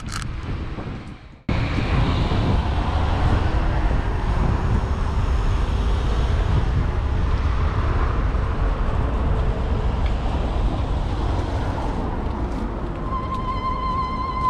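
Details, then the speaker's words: Xerider E-Flex electric scooter on road test, GoPro mounted: steady ride hum and wind rush, then a thin high squeal as the brakes bite, an annoying brake noise; motor itself silent. "oui je découvre ce bruit de frein ça fait un peu ennuyeux"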